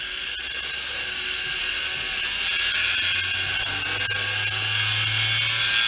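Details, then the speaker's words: Peleng 1240GS gyroscopically stabilized binocular, possibly Soviet from the 70s or 80s, spun up at 12 V drawing about 10 W: a smooth high whine over a low hum, climbing steadily in pitch with no rubbing. A healthy gyro spin-up. "So let's spin it up at 12 volts and see how fast it goes. Just checking if this works."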